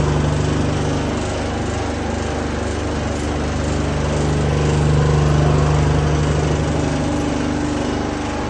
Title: # ID Fan Abnormal Sound.